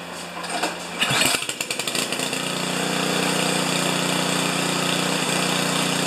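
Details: Craftsman 824 snowblower, 205 cc 7 hp engine, started with primer bulb and manual choke. A few uneven pulls and catches, then it settles into a steady, even drone that holds; normal running.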